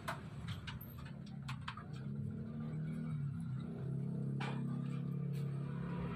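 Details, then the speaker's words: Kosmos standing fan, previously seized and stiff, after repair: steady low motor hum that picks up slightly at higher speed settings (up to 3), no grinding or labouring; running normally and fast. "Nomor 3 kencang banget. Wah, kelihatan dari baling-balingnya ya. Putarannya juga sangat kencang."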